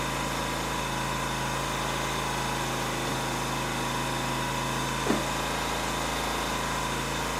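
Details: Ryobi RIG2000 inverter generator idling after a full service (oil change, refill, float chamber drained, air filter checked), auto idle and AC output on: steady, even drone with no misses or knocks, only one brief click; normal idle.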